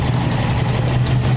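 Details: 2004 Subaru WRX idling after installing a no-name Turbosmart-style dual-port blow-off valve; steady even low idle, no stumble or hunting (no stalling from soft BOV spring), faint air hiss; idling normally.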